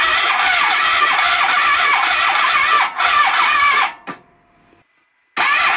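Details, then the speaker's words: 1997 Honda ST1100 Pan European, long neglected, plugs refitted, spark confirmed, on a jump pack with starting fluid. Uneven cranking at about 2.5 turns a second, then one sharp pop: cranks but won't start, single backfire. "a singular backfire one mess with tradition"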